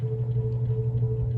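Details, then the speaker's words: 52-inch brown Emerson Casablanca Classic Premium ceiling fan, K55 motor, on high speed; steady low hum with faint higher tone, no rattle or bearing scrape; motor hum heard only on high speed. "yeah there's that motor home I was talking about and it's only on high speed when you can hear it"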